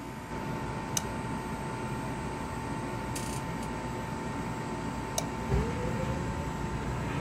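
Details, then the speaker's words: Gas power-vent water heater restarted after draining and flushing sediment, thermostat reset: steady vent-fan hum with soft low whoosh and slight swell as the burner ignites; normal startup. "and we have ignition just heard it turn on and if you have a standing pilot water heater turn the knob on the top back to on set the thermostat and it should kick right on"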